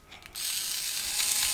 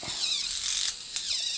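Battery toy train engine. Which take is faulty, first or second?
first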